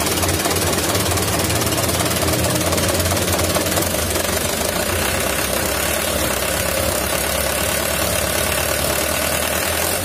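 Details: 2011 Mitsubishi Canter Super Speed diesel truck: heavy uneven rough clatter with knocking beat, "tak" sound at shutdown, heavy throttle and weak power; injection pump inspected, its timer found cracked, throwing timing off.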